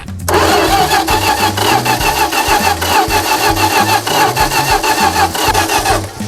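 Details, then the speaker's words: 1977 Dodge D-600 abandoned for 23 years, hand-fed fuel to the carburetor: steady fast cranking at about three turns a second that never catches. Owner believes it is flooded. "I do believe we are flooded though, so maybe we should give it a second to unflood."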